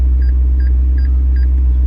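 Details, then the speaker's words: 2015 McLaren 650S Spider reversing: short double beeps about three per second over low engine rumble while the wall is still well clear; oversensitive parking sensor. "So it's already going off, and look how much space I have. I mean, we're not even close, and I don't know if you hear the beeping, but it's still going off. Really, really annoying."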